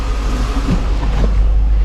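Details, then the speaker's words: After intake manifold gasket repair, 2007 Dodge Magnum SRT8 6.1 Hemi V8 idles with a deep, even rumble, no lope, misses or ticking; computer relearning, never idled this well in five days owned. "it's never idled this well either since i've owned it which is only you know five days and uh"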